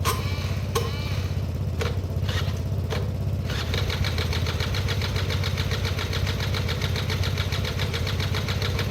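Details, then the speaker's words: Derbi 100cc two-stroke first start attempt with a battery fitted and fresh fuel, carb not yet cleaned: several short cranking bursts, then catches into a fast, uneven buzzing idle; hard starting, owner expects it needs a carb clean. "that was a real long shot guys but yeah they start up more regularly than they don't nowadays that will definitely need a carb clean"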